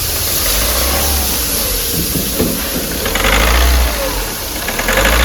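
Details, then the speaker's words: Volkswagen Polo diesel revs roughly and unevenly with knocking, stumbles and jerks, heavy white smoke and a feel of something broken inside; all four injectors are to be removed and repaired. "इजन किस तरीके से रहा है और engine के अंदर ऐसा लग रहा है जैसे कुछ टूट गया है और इजन जो है झटके भी मार रहा है इसका"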